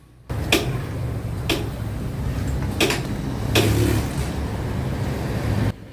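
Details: Barako motorcycle with a cold-morning hard start, tested cold after hoses were reconnected and tightened: the single fires right up and settles into a steady, even low thump with a few clicks; now a normal cold start.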